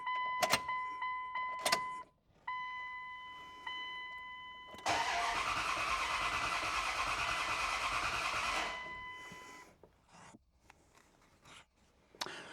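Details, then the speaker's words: Second-gen Dodge Ram with 5.9 Cummins, towed in after dying on the road: short cranking bursts, a few seconds of rough running, then it dies. A bad fuel pump assembly was confirmed. "What I was trying to show you was that yesterday when we were pulling this in the shop, if you cycle the key and go to start it, it would start and then kind of stutter and die. It would do just about every time."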